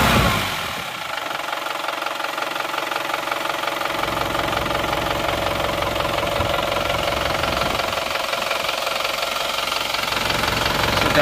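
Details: Isuzu Panther pickup diesel after rebuild and injection pump timing advanced: even crisp idle clatter about 220 beats a minute, no misses; smooth but crisper and a bit harsher than before, exhaust smoke-free.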